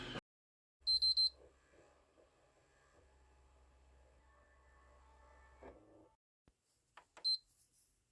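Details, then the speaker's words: Old PlayStation 3 shutting down while running a game: blinking green and red light, three sharp beeps, a faint hum, then more beeps as it cuts out. Apparent overheat shutdown with no heat felt at the back. "Got a blinking green and red light. Oh. Beep, beep, beep. It shut off. I don't feel any residue of heat coming out the back. Okay, that seemed like it overheated."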